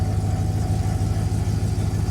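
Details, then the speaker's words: Engine with 447,000 miles, just started: steady deep idle with a loose light rattle underneath from worn water pump rattling at idle. "uh the water pump still rattling around."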